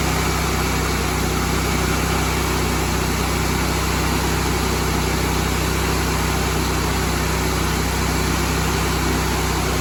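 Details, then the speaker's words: Rebuilt Honda GX630 with new governor, fresh oil, no load, running about 3750 rpm: speed surges gently up and down. This mild governor hunting is typical after fitting a new governor and is considered normal. "You hear that hunting? That's pretty typical when you put a new gover"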